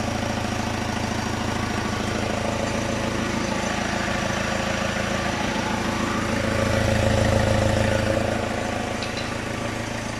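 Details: Diesel, first start after head rebuild and swap to low-mileage engine (replacing original 365,000-mile engine with headgasket failure), oil primed, injectors reconnected: even regular idle about four beats a second, faint fan whoosh, no knocks; running healthy.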